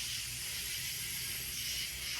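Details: BMW F10 N55 engine leak-down test, engine off: steady even air hiss with no pulsing or gurgle, reading 95%; cylinder holds pressure well, normal leak-down.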